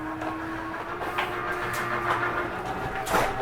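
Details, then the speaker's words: Jayco Eagle HT 29.5BHDS, slide two retracting: steady electric motor drone with light mechanical rattles; normal retraction, any grinding noise is the slide's normal over-travel protection, not damage. "and i also just wanted you to know that when you hear that grinding noise is okay you're not grinding anything that's just how the slide protects yourself from over sliding"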